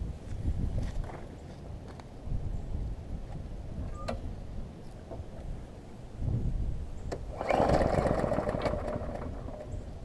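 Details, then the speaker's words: New Murray push mower repaired after being crushed in its box (cracked block, twisted deck), started with starter fluid: small engine runs unevenly with a rough scraping rattle as the blade strikes the bent deck. "so it needs a little starter fluid that I got it to cranked up and run but now I'll let you hear that I've still gotta pull the deck out a little bit because it's hitting with the blade some"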